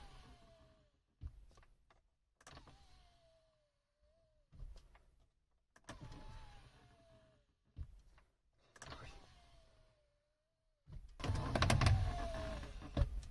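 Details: Audi A6 C7 MMI display after lubricating the fold mechanism with silicone grease and guide with PTFE grease, previously crunching on closing: short, smooth motor whirs about a second each, no crunch or squeak; normal extend/retract.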